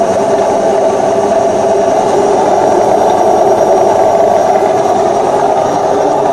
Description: Când stoarce, mașina mea de spălat scoate un zgomot ciudat... CAUZA: Zgomotul provine de la rulmentul de pe cuvă.